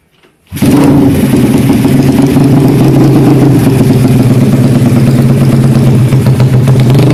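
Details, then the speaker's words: Karisma built to 160 cc with a racing camshaft, PWK 33 carburetor, 29/24 valves, GL CDI and open pipe: the single fires up and settles into a choppy, stuttering "deng deng" idle with an uneven beat. The lumpy idle comes from the camshaft. "Kedengarannya seperti mesinnya tersendat-sendat. Jadi, bagi yang bertanya, itu karena poros bubungan (camshaft)."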